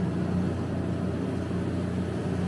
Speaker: If you hit this button, it'll turn on the water chiller and the exhaust fan at the same time. And so we hit that, everything comes up, right?